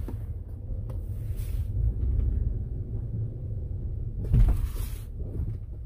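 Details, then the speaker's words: 2014 Ford Explorer Interceptor 3.7L 4WD, braking hard while driving: low road rumble, then a heavy clunk as the lower control arm slams its front and rear mounts; worn lower control arms need replacement. "There, boom. Boom. The lower control arms are shot in this thing. Yeah, they're shot. Boom, boom, front and back."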